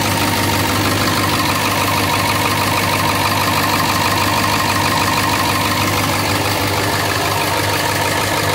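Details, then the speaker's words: 2002 International bus chassis with T444E diesel at idle: loud hard clatter with uneven chuffing from several exhaust leaks; owner asks listeners to pick out one suspect cylinder. "So we're going to start it up so you can hear this little T444E, and it's got a couple exhaust leaks, but see if you can pay attention."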